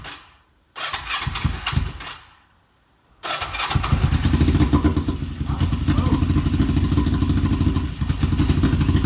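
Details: Kawasaki EX 500 started for the first time in a couple of years: two failed cranks, then a rough, stumbling idle, and it won't stay running; owner wonders about carb sync.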